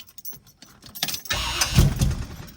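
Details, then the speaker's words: 1974 Pontiac Trans Am 455 after fitting a new mini starter: brief quick crank that catches at once and settles into a strong idle; the starter engages and spins cleanly, normal cranking. "sounds pretty good man it sounds like a race car starting up"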